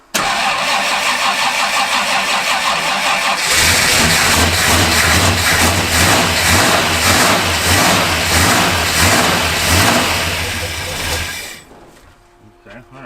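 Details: Worn-out 1974 Ford F250 Highboy V8 after tightening battery cables and adjusting timing: catches and runs with an uneven, lumpy beat, seems flooded, stumbles and dies; rough running from a not-yet-set carburetor.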